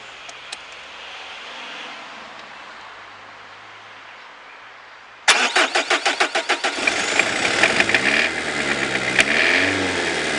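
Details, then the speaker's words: Worn-out PSA 2.1 turbo diesel with leaking Lucas Epic injection pump, hard starting after glue sealing attempt: cranks with rapid even beats, catches and runs unevenly with wavering speed, then cuts out; petrol sprayed into intake to help restart. "coup sud petit problème de démarrage de tout à l'heure j'entendais normalement je vais juste mettre un petit peu d'essence dans l'admission comme ceux ci pourra dès le moteur à repartir"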